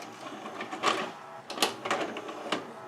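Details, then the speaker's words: 1992 Admiral (Sharp) mono VCR that spits tapes back out: short whirring bursts, clicks and motor grinding as the loader tries and stalls repeatedly; suspected glazed, slipping loading belt. "I do hear a belt may be slippy and I hear a motor grinding when I try to put this in"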